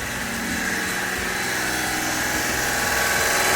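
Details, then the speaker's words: Honda Acty small engine idling evenly and warming up after a valve adjustment, timing belt, water pump and coolant job. Light, busy hum rising slightly, with no more valve ticking; quiet, healthy normal idle. "doing that valve adjust so you can hear how much quieter there's no more ticking from that motor sounds nice and quiet"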